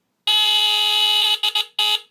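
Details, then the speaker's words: 1977 Sears Early One 350.57046 smoke detector (Fyrnetics F-900D, Kobishi CLB-27 brass squealer horn), second test-button press: loud, raspy, fairly low squeal holding about a second, then breaking into short bursts as pitch sometimes changes; normal test. "and then sometimes it'll change pitch like that I don't know why it does that yeah kind of raspy sounding I kinda I do like the sound of it though really unique sound"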